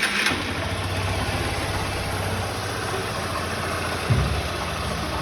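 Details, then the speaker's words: 2016 Honda Titan 160 single cylinder, previously loud engine noise blamed on the connecting rod: after correcting wrong valve adjustment it idles evenly and steadily with no knocking or clatter. "era só regulagem de válvula incorreta, rapaziada. Vou ligar para você escutar aqui, né?"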